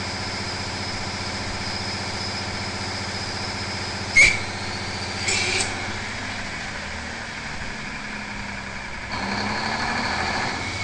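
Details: Big Cam Cummins diesel on a dyno at about 25% load: loud drone and high turbo whistle, then a sharp bang as the turbo fails, attributed to oil contamination.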